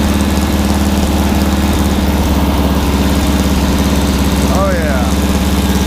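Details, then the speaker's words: Freshly assembled 1600cc dual-port VW engine on a 1975 VW trike, big cam, break-in, 40 psi oil pressure at about 1000 rpm idle; steady loping idle with a regular pulse, no knocks or ticks, healthy. "wow listen to that baby cam oh my god we're 40 psi at an idol we get a thousand rpm"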